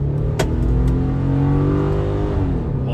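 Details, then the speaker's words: 2009 Subaru Forester XT EJ255 turbo with blown turbocharger, test drive under hard acceleration: engine strains and drones, rough and tired; worn bottom-end bearings from turbo metal in oil, oil pressure light flickering afterwards; engine to be rebuilt. "that's so bad wo yeah she's she's definitely blown up"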